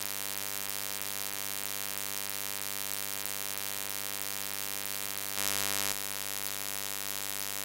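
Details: Steady thin mains-style electrical buzz with hiss on top, unchanged through ShadowPlay-recorded audio; cause unknown, owner asking how to fix it.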